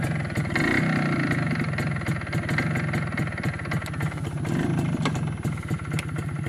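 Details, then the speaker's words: MZ ES 250/2 two-stroke with Bing 84 carburetor on too-small main jet: uneven sharp crackles and pops over a throbbing idle; self-ignition from dangerously lean mixture. "¿Oyes ese sonido crepitante y palpitante? Estos son los autoencendidos debido a demasiado pobre Mezcla."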